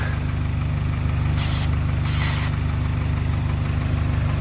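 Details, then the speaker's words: VW Mk2 Golf sitting 20 years, after an ignition module replacement, no fuel line fitted, 20-year-old petrol, weak battery: steady starter churn at about three turns a second with a brief stumble that never takes; cranks but won't start. "There was a definite stumble there. Keen eye viewers, yes, there is no fuel line fitted, but I don't think it's going to run on 20-year-old petrol."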